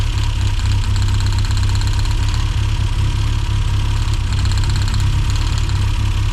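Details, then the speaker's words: 1990s Mini Cooper S Sport 5 (John Cooper Garages), hot rough idle, plug leads pulled one at a time: deep, loud uneven idle with slight stumbles, no clear RPM drop. Rough idle, cause unknown; new plugs to be fitted next. "So yeah, that's what's confusing me a little bit. There's no profound RPM drop there."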